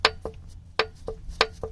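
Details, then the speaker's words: 1997 Honda Civic D16Y7 SOHC non-VTEC, engine off with the oil pan removed, loose rod rocked by hand: sharp, hollow paired clacks. Worn rod bearing play causing the knock after wide-open throttle, apparently on extremely low oil; the other rods are tight; bearings to be replaced. "So just this one right here. That's my knocking sound right there."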